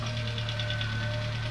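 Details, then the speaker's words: Saab 900 16v Turbo that stood 12 years, immobilizer bypassed, jump-started from a BMW battery after slow cranking: a steady low idle with quick even ticking. It runs but has no coolant, and its condition is unconfirmed. "I'll tell you what we'll give it a sniff hold on is sniff hey he's alive yeah listen to that this is idling as well she's idling"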